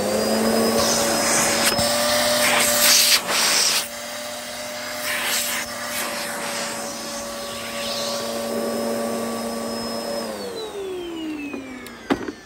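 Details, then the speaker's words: Upright vacuum on carpet: steady even motor whine with brush bar humming, no rattle or surging, winding down at switch-off; normal running. "You can hear the brush bar panning the carpet. It's done a really good job at revitalizing the pile as well. And as for the roll suction, that's also pretty strong."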